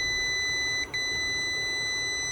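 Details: Hybrid inverter after workshop repair of its power supply (degraded transistor gave PWM controller ~4 V), powered up with original transistor, PWM controller now 17.3 V: steady high-pitched beep with one short break, error 01 because cooling fans aren't connected; won't start without them.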